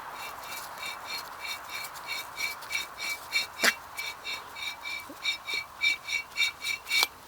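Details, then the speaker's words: Rear wheel bearing with rock-hard grease, from a 1996 Toyota Camry wagon, turned by hand near the microphone: rough, scratchy grinding squeaks pulsing about three times a second. "I'll bring it close to the microphone, but you can definitely hear the bearings grind on this one."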